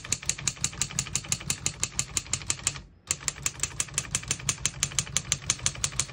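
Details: 1955 Underwood Universal portable typewriter, margins set at paper edges, single line spacing; crisp even key strikes about three per second with pause, margin bell, working normally.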